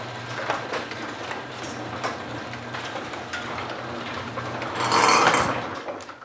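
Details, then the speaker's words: Garage door after a torsion spring replacement, opening. A soft rumble, then a harsh scraping rasp flares for about a second as the door nears the top of travel; cause unknown. "so everything's working but there's this noise that I just can't figure out and it's going to happen right at when the garage reaches the"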